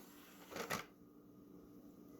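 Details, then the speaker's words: PS2 after repair of disc tray that closed immediately after opening: short clean whirr and clack, then quiet running, no scraping or stutter; former weird noises gone, normal disc tray operation. "out that sounded a lot better it doesn't make any of those weird noises"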